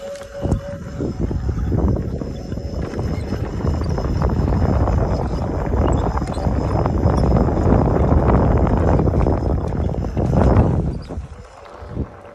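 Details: S18 while riding: irregular high chirps, about two or three a second, over the motor hum. Source not yet found.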